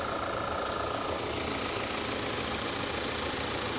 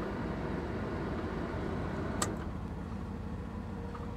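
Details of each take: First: 2011 Audi A5 with manual transmission at a Copart auction: steady, even idle with light hiss, no knocks or ticks standing out; engine sounds healthy, normal idle. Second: yeah she sounds good she really does there's something loose on the exhaust but the engine sounds good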